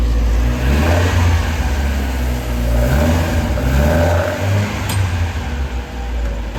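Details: Scrap Vauxhall Corsa B track car with freshly rebuilt C20XE engine on carburettors, on dyno rollers after carb tuning; deep, loud roar pulling hard under load, free of misses or knocks. Made 210 hp as expected, no leaks. Normal running.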